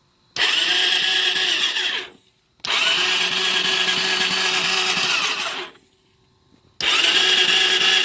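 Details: Suzuki LTZ 400 that cut off in 4th gear after under an hour of riding, fresh battery fitted: high-pitched whirring bursts of about two seconds with no firing, starter spinning free; owner suspects starter clutch, fears crank.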